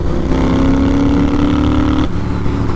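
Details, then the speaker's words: Scrambler built from a 2010 Triumph Bonneville SE, on its first ride after fixes for oil leaks, misfiring, a leaking banjo bolt and a snug rear wheel bearing: steady, even twin drone under load that drops smoothly off throttle; no misfire, running well. "you can hear, she sounds spectacular. Ride's really nice."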